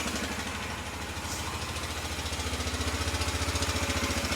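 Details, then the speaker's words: Honda Rincon 650 ATV, about 2003, bought as a parts machine: idling engine with a loose metallic rattle slapping in a rapid, steady beat that grows louder; timing chain suspected (valve adjustment also considered); teardown found worn cam lobes. "To me, when I first heard it, it sounded like a timing chain. So, it could be the timing chain. So, definitely some not so good noises coming out of the engine."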